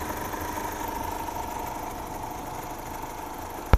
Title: Стук гидрокомпенсаторов